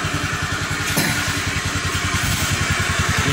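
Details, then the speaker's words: Honda Beat FI injected scooter that kept stalling after 100–200 m, after fuel pressure fix raised pressure to 45 psi: steady idle, even quick putter about 3.5 beats per second, no stumbling. "Oke sahabat motor ini sudah lebih dari 5 menit dinyalakan tapi motor ini sudah tidak kembali mati-mati"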